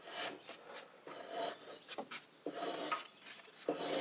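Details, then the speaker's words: Troy-Bilt TB42 rider, Powermore 541cc engine, turned slowly by hand: soft airy hisses with each rasping compression push, air escaping past a leaking head gasket; oil dark and low. "right there that hiss right there. You hear it? So that's indicative of a head gasket leak."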